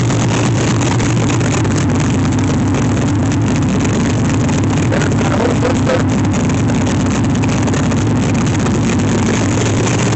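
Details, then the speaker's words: LS1 V8 swapped into C3 Corvette, restart after correcting fuel rail O-rings, good oil pressure: strong even burble with no ticking, knocking or stumbling; healthy idle. "the engine sound sounds very healthy I've got good oil pressure so um I'm going to call it good"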